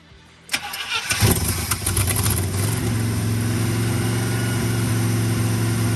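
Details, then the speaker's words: Abandoned, previously seized 1980 International Scout II engine, still burning off crud, revs a little better but the carburetor leaks fuel out as fast as it comes in; cranks, catches, then settles to an uneven, lumpy poor idle. "It does rev up a little bit better, but we have to have fuel in here. You know, this carburetor lets it out as quickly as it comes in."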